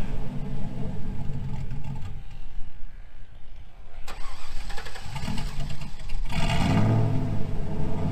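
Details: 2000 GMC Sierra 5.3 V8 with Texas Speed Stage 3 truck cam (.550/.550, 216/220, 112 LSA) on factory tune: rough, lopey rumble sags and nearly dies, recovers with throttle; stalls in gear. Owner's own tune fixes it.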